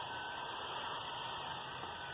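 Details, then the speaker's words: Dirty, well-used small RC cooling fan run off a AA battery pack, heard with an airy hiss and a steady high whine that sounds rough and uneven from built-up dirt, though it still runs fine. "this one's been on a lot of different cars it has a lot of dirt in it doesn't sound the best as you can probably hear but it still runs just fine"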